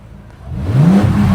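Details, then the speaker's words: Bentley Continental Supersports W12, after fitting $100 Walmart ignition coils: short blip where the note rises cleanly and evenly, no misfire or stumble, no check engine lights; feels snappier, a smooth, healthy rev. "W12s are just so smooth that it feels good even with a bad ignition coil. That seems snappier to me."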